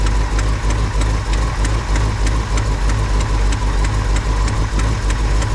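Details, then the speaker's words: Carbureted stepside truck V8 (carb not rebuilt), first start of 2025, just fired on a prime and now pulling fuel from the fuel pump fine. It idles steadily with an even low thump and no misses or stalling: normal idle. "But still, we did just fire it up on a prime, so we'll give it a minute. Let it eat the prime. It's pulling from the fuel pump just fine."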